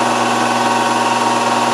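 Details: Land Rover LT230 transfer box, rebuilt and running on the bench, spun up to higher speed: constant steady hum with a clear whine; first thought the centre diff but says it isn't, suspects a bad bearing or gear tooth.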